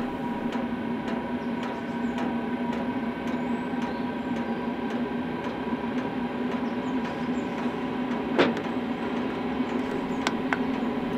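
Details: Cheap Chinese diesel night heater from eBay, starting up after replacing a defective fuel filter that let air into the line: even whirring fan with soft regular fuel-pump ticking about twice a second; starts cleanly and runs smoothly.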